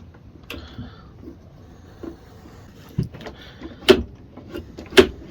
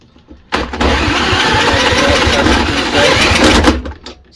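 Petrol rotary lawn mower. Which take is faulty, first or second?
second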